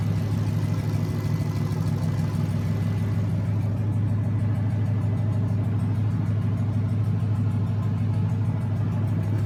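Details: Junkyard 2009 Dodge 5.7 Hemi, about 80,000 miles, bound for a 1972 Cuda, on a run stand with new Hotwire harness and used 2009 Challenger PCM. First startup. Deep, even V8 burble holding a steady low idle, no knocks, ticks or misses. Normal idle.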